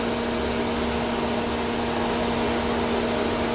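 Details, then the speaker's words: 2007 Mercedes radiator cooling fan: constant loud whooshing roar and steady hum that never cycles down, control signal about 6.5 V with no fan request from the engine; cooling fan stuck running continuously on high. "right around 6 and 1/2 volts that's putting the fan on high as I'm sure you can hear by it blur blaring away over there and again no control we're not requesting anything"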